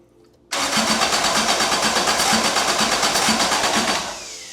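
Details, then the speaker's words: Toyota AE86 with a 4AGE 20V black top swap on a Haltech ECU, first start attempt. Starter churns about three turns a second, steady and even, but the engine never fires. No spark; the plugs were wet, so fuel was present. "Well, it cranks. It's making cranky noises. Let me see if I got RPM."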